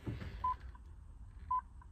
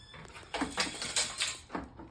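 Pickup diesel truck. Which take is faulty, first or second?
first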